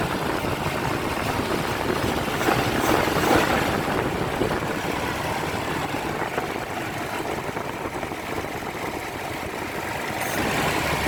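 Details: Nissan VG33 engine at idle with a few throttle blips: steady idle with a faint hiss over the engine; possibly an intake vacuum leak, not confirmed.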